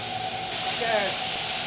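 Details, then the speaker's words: Boiler safety valve on a live-steam locomotive, new and set on air to 120 psi, lifts on steam exactly at 120; steady hiss swells into a hard rushing blast; blowdown ring still needs adjusting for steam volume. "Okay, that's the first pop off. It popped right on the 120, exactly where I set it on air."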